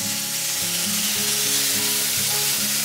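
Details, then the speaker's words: Pressure canner holding quart jars of meatloaf, heat turned up high after warming for about 15 minutes. A steady, even hiss of steam comes from the vent without sputtering, at about three pounds of pressure before the weighted gauge goes on. It is venting normally. "okay see that theme there it's unbroken venting"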